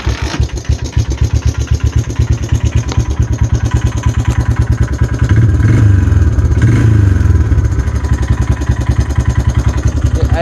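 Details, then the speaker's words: Honda TRX 300 single cylinder, just fitted new carburetor after old one idled high with faulty choke; slow, even thump around ten beats a second, no hunting; normal low idle, though engine old with some crankcase blow-by. "and it sounds way better because previously i idled really high all the time it was there was something wrong with that choke"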